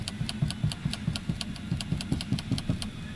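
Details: Light, quick ticking rattle from the ceiling while driving, over low road and engine drone; loose trim or headliner suspected, not confirmed.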